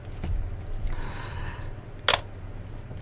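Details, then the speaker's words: Nikon D3300 DSLR with 18-55mm kit lens in automatic mode: half-press the shutter to focus, then press fully to fire. One crisp, quick clack in a quiet room with no drag or double click, a normal shutter release. "and then press a little bit further it will take a picture so just practice that a few times just lightly pressing to get focus and then pressing all the way to take the picture"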